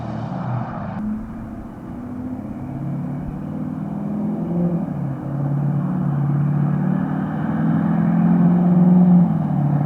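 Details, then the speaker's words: 2011 Ford F350 6.7 Powerstroke diesel after engine replacement, first drive: low exhaust drone rising smoothly in pitch while pulling away under light throttle, no misses or knocks; runs healthy. "so I'm gonna do some little exhaust Clips just kind of some light throttle like acceleration pulling away from you guys so we'll we'll see if she sounds like a yes"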